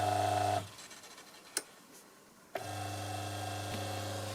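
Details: Eta Siesta bread maker that wouldn't mix, under test, heater off: kneading motor hum stops, single click in two seconds of quiet, then hum resumes evenly as the motor seems to change direction.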